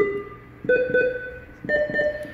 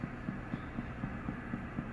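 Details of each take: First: NIM 3 nerve monitor, four-channel procedure tested with simulator and sterile probe: four separate clean chirping tone bursts about a second apart; every channel answers, so probe, pendant and cabling are good. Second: NIM 3 nerve integrity monitor with simulator: soft low thumping pulses about four per second as the unit sends its stimulus signal to the electrode pencil while displaying check electrodes.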